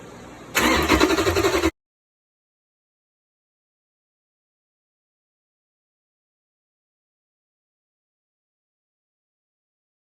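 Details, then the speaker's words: Hemi swap harness and PCM for a G3 Cuda on a bench test for a "no run" complaint: about a second of steady, even starter whirr with the key held and the starter switch pressed, with fuel pressure and handshake verified; normal cranking. "So, now that I'm pressing the button, that should go up, meaning I'm getting my uh pressure and the PC on the scene a cranking signal."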